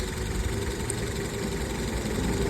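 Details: 2007 Honda Civic 1.8 petrol with a flashing engine light and little power: rough, uneven idle from a misfire on cylinder 4. Swapping the coils between cylinders 3 and 4 confirmed a faulty ignition coil, not an injector or compression.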